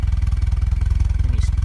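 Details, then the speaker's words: 1990 Toyota Pickup 22RE rebuilt, LCE head, ceramic pistons, first start: 37 psi fuel rail, ECU slightly rich, steady PCV vacuum, thermostat apparently not yet open; even exhaust pulses about twenty per second, no misses or rattles; clean idle. "Got a nice steady vacuum on the PCV system, so that's good. Exhaust sounds good and looks good."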